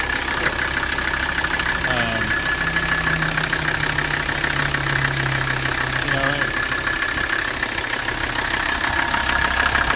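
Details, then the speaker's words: 1985 Mercedes 300D, OM617 turbo diesel five-cylinder, possibly about 147,000 miles, little blow-by, oil leak and no vacuum: steady, even diesel clatter at idle with no misses or knocks; engine runs good and sounds healthy. "but it it runs good you know and that's the only reason I got it the engines good the transmission is good it doesn't really have much blow by"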